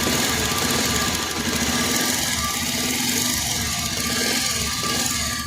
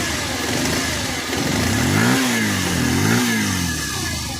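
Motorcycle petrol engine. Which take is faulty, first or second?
first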